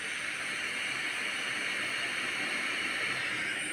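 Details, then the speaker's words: Electric kettle, repaired after a no-power fault and run filled with water straight from mains: steady, even hiss of water beginning to heat, no crackle or buzz, so the kettle is heating normally. "দেখুন। এটি কিন্তু গরম হতে শুরু করে দিয়েছে, আমি কিন্তু শব্দ শুনতে পাচ্ছি। দেখুন ভিতরে পানি গরম হচ্ছে।"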